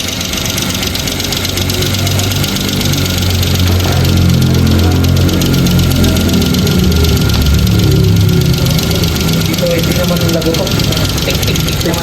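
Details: 2015 Kia Picanto that would not start and showed a blinking temperature light, now running: a light, quick tick about four a second over a steady idle. A strong valvetrain tick rather than a heavy knock.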